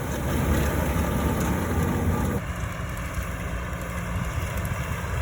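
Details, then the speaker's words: Vermeer 605 Super M round baler with tractor, fitted with new May Wes Black Talon rubber pickup teeth and Poly Pickup Bands: steady low rumble, only the belts audible, no rattling from the pickup; quiet, normal pickup operation. "Unbelievable quiet. All you hear are the belts on that round baler."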